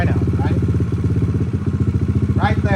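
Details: Kawasaki KLX140, stock carb rejetted with Big Gun exhaust and airbox mod, idle set slightly high while adjusting air-fuel screw; quick even single-cylinder thump, no hunting or misses; mixture well set, normal idle.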